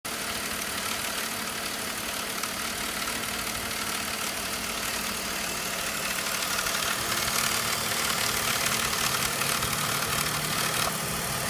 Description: This is a DISA valve rattle coming from the 3.0L M54 engine in an E39 5 series.